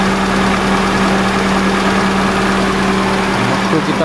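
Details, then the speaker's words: 2002 Kia Visto idling with the AC on after the idle speed control valve was cleaned and resealed to fix surging revs; a steady, even hum under AC load with no surging or shake; idle stays stable. "nah coba kita nyalakan AC ya teman-teman kasih nyala Agas masih stabil tidak ada"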